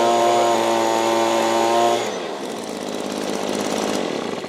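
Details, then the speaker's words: Mountfield MBL 270V two-stroke garden blower just started from cold, choke off: steady high buzz holds evenly for two seconds, then switched off and fades; engine runs cleanly. "Because the blower is trying to force the wind through, it might take a little bit of time to warm it up, but once it's warmed up, you should hear a nice sweet sounding engine."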